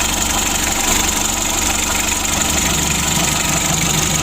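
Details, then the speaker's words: Mitsubishi L300 diesel engine, first start after rebuild with standard bore, original pistons and crankshaft, standard bearings and new timing belt and air filter: steady, even idle with normal light clatter, no stumbles or knocks; oil pressure good, runs healthy. "Oke lur, untuk mesinnya sudah hidup lur."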